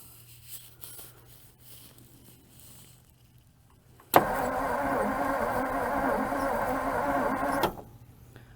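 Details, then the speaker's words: 1956 Ford Customline, 292 V8 Thunderbird engine with Holley four-barrel, off the road 50 years, new battery jumped at the starter solenoid: a steady, even starter whirr spins the engine freely for about three seconds. Cranks well, nothing seized. "i have a brand new battery on this and this goes to the starter solenoid so see if it actually spins over"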